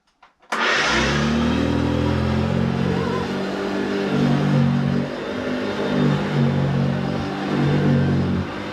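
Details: Hoover vacuum cleaner, hoovering: motor spins up into a rough, wavering drone that surges up and down; it runs noisily.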